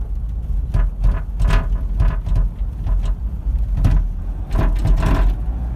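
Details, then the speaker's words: Toyota Land Cruiser Prado 150 rear barn door rattle while driving, heard from the rear: irregular sharp rattling over road rumble, louder on bumps, door wobbling; fixed by cleaning. "and it's got a terrible rattle it's been there for a little while"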